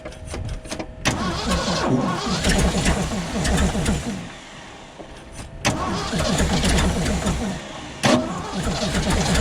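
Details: 1975 Ford F750 pipeline truck, after getting fuel squirting with cleaner added: big V8 catches but runs lumpy and uneven, beat sagging and surging as it struggles to hold idle; better than before, cause not confirmed.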